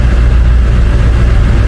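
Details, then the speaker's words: International 4700 with 444E 7.3 L diesel, just after new turbo installation and a coolant top-up, oil level fine; deep, even idle with steady low thrum and no knocks, misses or hunting, idling fine. "Oil level is fine. Things seem to be idling fine. Looks good."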